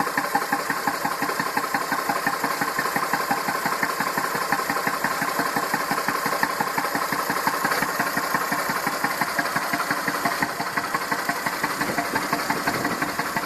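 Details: Massey Ferguson 2645 tractor, Perkins 6-cylinder diesel, owner claims rebuilt 100 hours ago: even idle speed but lumpy, uneven exhaust puffs; suspected exhaust valve not closing properly, one cylinder down on compression, causing lack of power; little PCV blowby.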